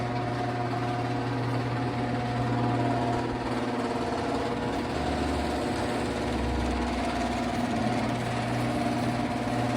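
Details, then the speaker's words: Garage door opener after lubricating hinges, spring, motor pulley and cleaning the rails with white lithium grease: steady, even motor hum, much quieter than the previous loud noise, no grinding, squealing or clunking. "so this is much quieter this is how quiet my door is now compared to before"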